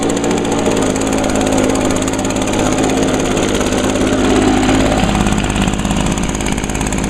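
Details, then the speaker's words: 2009 Echo PB 251 handheld leaf blower, owned six years, on a tiny bit of gas, started on choke after priming; smooth, even buzz picking up cleanly as it revs, no misfire or stumble. Normal running. "all right yep still runs as good as it did six years ago"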